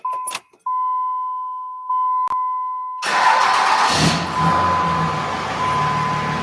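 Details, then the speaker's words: 5.9 Cummins diesel freshly installed in a truck, first start; after a chime, a brief crank and it catches almost at once, settling into a steady, even idle with no excessive cranking; healthy start. "it fired right up too like no excessive cranking whatsoever"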